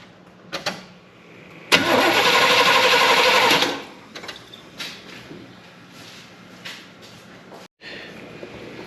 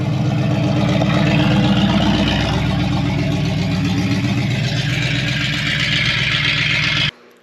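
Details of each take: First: 1972 Chevy Impala parked for a severe misfire, with new points and rotor, distributor cap off, key bumped: two-second starter turnover with no firing; cranks but no spark from the points. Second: 1972 Chevrolet Impala, parked for a severe misfire, after timing adjustment: steady, even engine run with a smooth rhythmic beat and no misses or knocks until it cuts off; sounds healthy, normal running.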